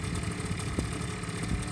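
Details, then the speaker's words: Five-year-old Honda Lead 50 scooter, cold start on electric starter with new spark plug, compression about 9.5 (manual 10.5): small engine putters at a smooth, even low idle with no stumbling; normal idle after cold start. "заводим будем вот именно так не как больше должен заводиться"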